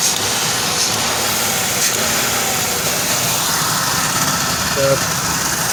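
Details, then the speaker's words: Engine running after top-end work, still misfiring a little on new plug wires and original spark plugs: a steady hiss over a slightly uneven beat; owner suspects a vacuum leak at the rear and will recheck upper intake manifold torque; rough idle. "all right so got it uh burping right now running sounds like it's got a little bit of a vacuum leak back here"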